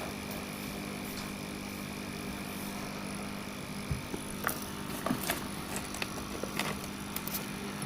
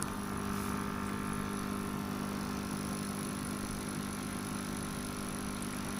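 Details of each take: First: Sunsun CT-202 aquarium air pump running: a faint, steady low hum under a few handling clicks, about 6–7 dB above room noise. It is normal but not a silent pump; the hum stays audible. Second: Sunsun CT-202 air pump noise test: steady, unbroken hum with a faint high whine, no rhythm or change; not a silent pump, the hum stays constant while running.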